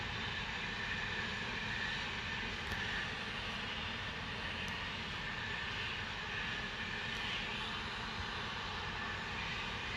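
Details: Continuous loud steady hiss over low rumble, no rhythm; Spooner Industries, Ilkley, 6 April 2021, 8.45am, recorded within a neighbouring property boundary, audible over 100m away; source unknown.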